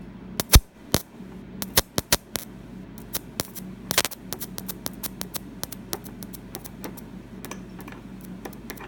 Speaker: I'm sure this you can actually hear the AC run caps are popping the charge that's back suppress into the network